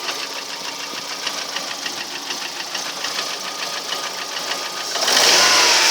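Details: Lada Priora engine one year later, only oil changed: steady light metallic ticking about four times a second over quiet idle; unexplained engine knock, source unknown.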